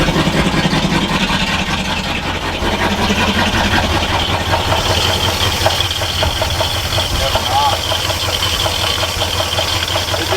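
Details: 1962 Chevy C20 3/4-ton pickup, all original, automatic with factory AC, about sixty years old, started on full choke: engine catches and settles into a steady, slightly uneven run, about two and a half beats a second; running normally now.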